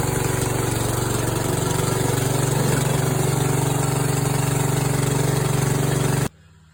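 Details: Yard Machines tractor, 14 hp single-cylinder engine from a scrapyard, after valves set to 4 and 6 and a steel flywheel key fitted to replace broken ones; steady even putter about three beats a second, no misses or knocks, then cut off; normal idle.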